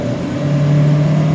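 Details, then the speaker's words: Older Honda CR-V, no power above about 35 mph, VSA and red brake lights on, warmed up: full throttle in neutral drones at steady low pitch, revs climb lazily; excessive back pressure, choked exhaust suspected; sluggish free rev. "I don't know, is that what you take for constipation? I'm not certain about that, folks. But she definitely feels constipated."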